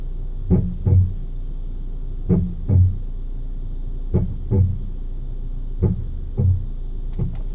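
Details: Hyundai ix35 brake noise: pairs of dull low thuds repeat about every second and a half over a quiet background; a brake clunk, cause not yet found.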